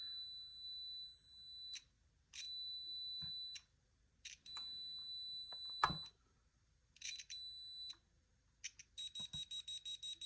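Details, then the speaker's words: ColecoVision with black-screen fault, logic probe on the CPU: reset line comes out of reset (goes low then high), but address line 11 shows no switching, a steady high probe tone with a final chirp. CPU suspected not working properly. "Okay, so I know that is actually at least coming out of reset. And if I look at address line 11, no activity."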